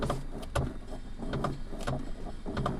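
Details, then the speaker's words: Maruti Suzuki Ignis: irregular creaks and dull knocks in bursts, about one a second, while the steering wheel is turned; steering noise when turning. "ये जो starring है, यह जो wheel है, इसको हम ऐसे करते हैं तो आवाज आती है।"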